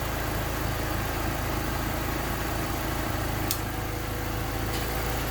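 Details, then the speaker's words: Honda D16Y8 warm, timed at 16 degrees with P28 ECU, after replacing a cracked exhaust manifold with a new DNA Motoring header and retightening the cat-to-downpipe joint; steady low idle rumble, no ticking or puffing, exhaust leak gone. "So as you can see, there is no more exhaust leak."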